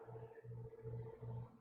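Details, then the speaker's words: PC CPU cooler at 15.5 minutes into a Prime 95 stress test before thermal paste replacement, CPU at max 85 °C: steady mid-pitched fan whir with a low hum pulsing about every half second; fan ramped up hard under load. "We're at 15 minutes and 30 seconds. Ooh, it's really ramped up now."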